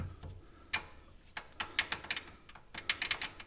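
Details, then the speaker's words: Polaris Ranger 570 SP Premium rear: sharp, uneven light metal-on-metal clicks in quick clusters, no engine, from loose rear brake pads rattling in the caliper, not axles or transmission; fix is adding springs to the pads; brake pad rattle. "so this is a quick fix you can actually hear it hear it that's what that was my issue so uh there was nothing wrong with the axles or the transmission all this time it was these"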